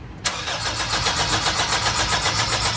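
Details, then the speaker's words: 2003 Honda CR-V crank no start: the starter cranks steadily but the engine never catches. Fuel flowed at first key-on but not while cranking; the fuel pump is to be removed. No fuel delivery. "มันไม่ไหลพ่อพอเปิดสวิตช์ครั้งแรกก็ไหลแต่ว่าสตาร์ทแล้วก็ไม่ทำ"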